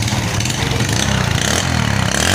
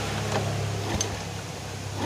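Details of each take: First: Yamaha Vega R New motorcycle that was hard to start cold, needing up to 20 kicks, and wouldn't idle: after repair it starts and idles normally and revs up and down cleanly with no stumble. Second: Yamaha Vega R New motorcycle, hard to start cold (up to 20 kicks) and with an unstable idle, oily exhaust: the electric starter spins the engine fast and evenly with little effort, a sign of weak compression, possibly piston rings or valves.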